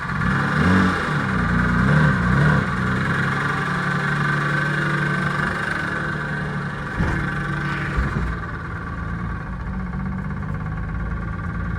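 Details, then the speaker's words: Dodge Stealth with freshly rebuilt 6G72 engine, first start: steady idle with a light, regular knock about two to three times a second over the exhaust, after tightening loose collector gaskets; no accessory belts fitted, cause not pinned down. "I know about you but that still sounds like she still knocks"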